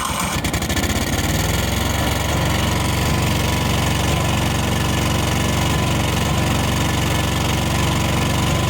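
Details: 1998 Yazoo YTKC22 three-wheel mower, single-cylinder, started on full choke with the air cleaner fitted. The engine catches, then settles into a steady, fairly even beat with no knocks or misses: it runs normally.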